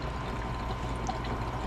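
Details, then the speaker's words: Soft, continuous trickling gurgle like water working through a partly blocked line over a low furnace hum as the furnace is fired up; the acidic condensation drain line is suspected frozen, not confirmed. "so what is that noise why does it sound like water oh that line must be frozen out"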